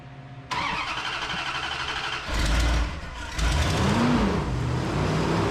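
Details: 1991 Dodge Dakota 4x4 extended cab, 5.2L V8, first start after replacing the fuel pump and housing. It cranks briefly, catches cleanly and settles into a steady idle with one small rev dip: normal start and idle.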